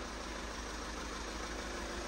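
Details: VW Scirocco TDI after a belt snapped because of a faulty tensioner and smashed the top end, now rebuilt with a new tensioner: even diesel clatter at a steady idle with no knocks or misses. Normal diesel idle after repair.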